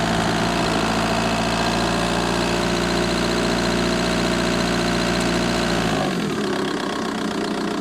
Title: Vw Bora 1.9 TDI ticking sound engine bay